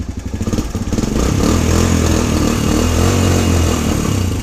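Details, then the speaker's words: Cold Suzuki DR-Z125 single-cylinder after resetting the cam chain tensioner: steady thumping idle of about three beats a second with no top-end cam chain or valve rattle; much quieter than before. "wow that's a huge difference that but that is so much quieter"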